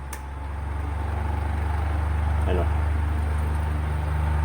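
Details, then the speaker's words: Electric fan plugged into an indicator-light outlet after an earlier stuck-up shorting repair, loud low hum pulsing about 3.5 times a second, motor shaking the hand; capacitor suspected, to be replaced to see if it still vibrates. "nagba-vibrate siya nanginginig niung kamay ko kung naririnig niyo yung vibration medyo malakas"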